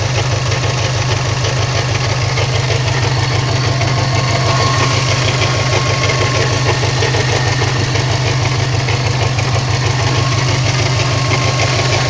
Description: My 54 plate newage subaru wrx making strange knocking ticking noise.